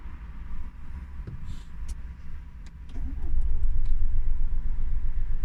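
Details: Renault Grand Scenic Mk3 1.6 dCi diesel, restart 10 minutes after half-hour drive: low even cranking thump about four per second dragging on before firing; hard starting when warm.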